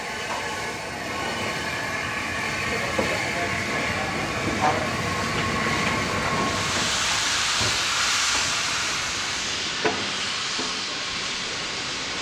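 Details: NYMR Repton No 926 steam locomotive moving under its own steam after overhaul, July 2017: steady chuffing exhaust beats with hissing steam and light clanks, even rhythm throughout; running healthy.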